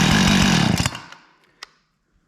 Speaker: Runs pretty good. I'll get that chain sharpened up and put the top cover back on and then we can go test it out. I was surprised we didn't have to adjust the carburetor or anything. It revved out pretty good and it idled good, so I'll take that.